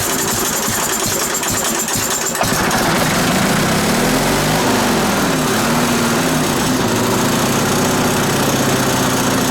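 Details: Onan BF 16hp twin with DD11 carburetor, after pulse fuel pump rebuild, choke on: loud, busy chatter at fairly steady speed once it fires, no stumbling; running normally, no fuel leaks, though a clattering noise was noted.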